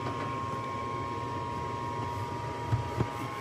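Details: Lennox furnace on an R22 system, heating demand: smooth, even inducer fan motor whir with constant mid-pitched tone, no rattle, scrape or wobble; inducer fan running normally.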